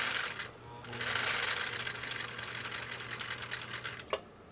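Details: Husqvarna Viking CL21A 1.5 amp sewing machine sewing zigzag through nylon webbing at varying pedal speed: fast even rattling tick from needle bar, no knocks; runs healthy.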